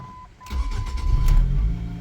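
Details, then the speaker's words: 2005 Ford Focus ST with hard starts and codes P0183/P0193, after replacing the sensor: quick crank, fires straight away and settles into a steady, even idle with no stumbling; normal start after repair. "oh yeah that sounds much much better"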